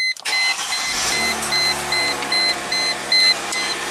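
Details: Chrysler Crossfire after a jumper wire was added in the reinstalled relay module: quick crank and instant catch from the key, then an even settled idle under a steady warning chime; the no-crank complaint is fixed, with the traction light still on.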